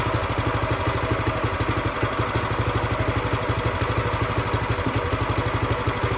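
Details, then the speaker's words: New Predator 212cc engine for a plate compactor, first start after oil and gas fill: quick, even single-cylinder chugging at a steady fast idle with no hunting or misfires; idle to be raised slightly. "Sounds like I need to bring the idle up a bit. Let me do that."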